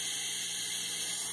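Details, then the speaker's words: Renault Logan with digital A/C, 57,000 km, heard with the pollen filter cover removed: loud steady high hiss from inside the evaporator box, nearly 200 psi in the circuit; refrigerant leak inside the dashboard. "O barulhão vem lá de dentro, ó. Ó, aquele barulho que você ouviu lá, quase 200 libras de pressão aqui, ó."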